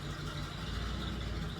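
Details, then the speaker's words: Old Ford Bronco on cold start with a homemade 3-inch side-exit exhaust, before replacing plugs and wires untouched for about five years; loud, lumpy rumble with missing and sputtering beats. Cold start misfire. "This thing is not happy, which I knew, but it's missing and sputtering and"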